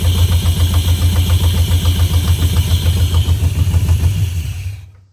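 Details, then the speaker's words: 1971 Chevrolet Camaro Z/28 barn find V8, long-stored, first start: lumpy idle pulsing three to four beats a second, slightly uneven, then shuts off; not idling cleanly, later needed a carburetor kit and timing set. "That's still not running perfect, but at least it runs."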